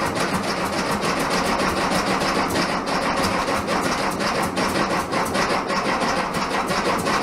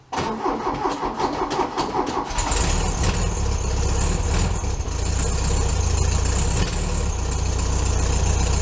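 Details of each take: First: 1967 VW Bug, big-bore 2387cc engine, cold day (~15°F), after fuel delivery fix: steady fast cranking with uneven pops, never catches to idle; spark weak, owner suspects ignition, plans new ignition parts and plug check. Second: VW Beetle cold start at about 15°F on a snowy morning: brief crank then steady even low idle; normal healthy cold start and idle.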